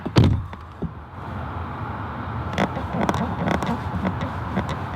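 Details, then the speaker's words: VW MK7 GTI driver's seat set all the way down: soft thump, then short creaks and ticks as the occupant shifts, also over speed bumps — driver seat creak. "like if you move around it will start squeaking like that if your seat is all the way down yeah if you put your seat all the way down and if you go over like a speed bump or you're moving around your seat it will like creak"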